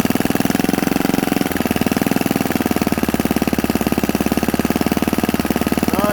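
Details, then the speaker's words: Predator 79cc single-cylinder engine, governor removed, 22 lb springs, fresh valve lash, carburetor on a new spacer, started on choke: a fast, fairly steady thumping that wavers slightly in strength; rough idle, and the carb needs adjusting. "bye all right guys we got a runner it might not be the best runner at this second but guys that's just some tuning"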